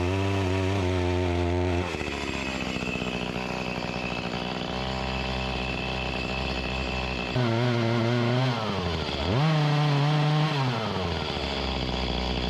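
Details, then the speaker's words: Echo CS-352 chainsaw that starts then dies, cutting wood; revs then sags and labours, pitch dropping and struggling to recover; not getting the gas it needs, lacking power, bogging under load from fuel starvation. "that's a positive and a negative side this isn't getting the gas that it needs it's lacking the power"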